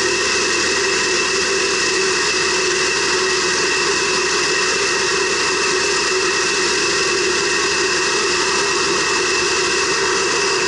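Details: 2006 Subaru B9 Tribeca at idle: steady loud hiss over an even idle, no rhythm or speed change, like air being drawn in; vacuum leak suspected, not confirmed.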